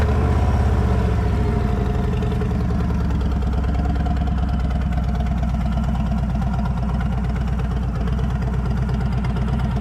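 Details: Harley trike recorded two weeks before the new cam and lifters were installed: deep, low, loping V-twin idle with a soft, fairly even beat and no knocks or rattles. Normal stock-cam idle.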